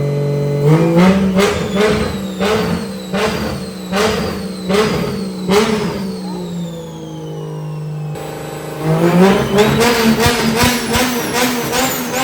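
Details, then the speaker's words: 2JZ-swapped Toyota Cressida MX83, junkyard engine with new Haltech ECU, first start after timing set: sharp free revs climbing cleanly and dropping back to steady idle, crisp, no misses or knocks; healthy and responsive. "she sounds crispy the junkyard motor sounds healthy"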